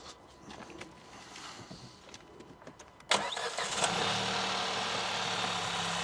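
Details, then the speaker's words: Crash-repaired car bought as non-runner, intermittent lights fault and battery dying, engine itself fine: a few quiet clicks, then catches at once and settles into a steady, even idle; normal start and idle. "good news is now this car is a runner but we was when we bought this car Rob there's no problems with it the engine runs"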